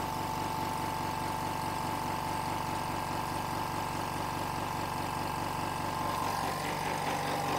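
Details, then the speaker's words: Hyundai SAC 55751 silent 59 dB compressor filling to its 8 bar cut-off in about one minute: steady, even hum with soft pulsing, no knocks or squeals; filling smoothly and healthy. "I think you can hear me normally now hopefully despite the compressor working and uh it takes about 1 minute for it to completely fill up the pressure"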